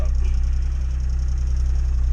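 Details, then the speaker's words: Takeuchi TB135 mini excavator diesel, unstarted over a month, glow plugs heated: fires right up and settles into deep, steady, even chug with no misses or knocks; normal idle. Starter needed tapping, owner suspects dirt inside. "right up but that starter they beat the crap out of it there"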